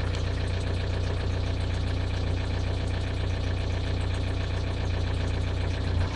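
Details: VW TDI 90hp diesel idling: sharp, regular tick about three per second over the idle, started the day after a 600 km trip and present 5 months; new lifters, injectors changed, oil pressure OK, different oils tried. Owner suspects worn piston wrist pin, unconfirmed.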